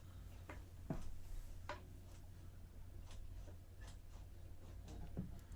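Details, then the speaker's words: MiRider One e-bike rear brake on the bench: light uneven ticks about once a second as the pad snaps in and out over the edge of the caliper cam because the cable has gone slack. "on that close-up you can see that brake pad it's almost going in and out on the same pool like it's going over the edge of the cam"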